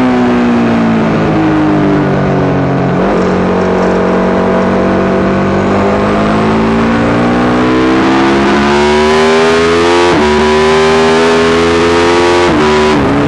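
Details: Yamaha YZ450 single in a supermono race bike revving hard through the gears, note stumbling and breaking up several times under load. Constant misfire, worse after a couple of laps; carb, fuel system, ignition, coil, generator changed, cause unknown.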